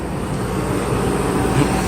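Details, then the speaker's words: 1994 Mercedes S420 V8 cold start after sitting a few days, after misfire repairs: steady even low rumble under strong engaged fan clutch rush, no ticking or stumble; normal cold start. "so here is our engine started after sitting this is our cold start"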